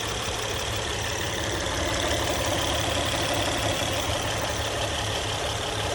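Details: Engine idling after hydraulic tensioner replacement: even, continuous idle with steady low rumble and smooth hiss on top, no rattle or slap; earlier noise gone, healthy.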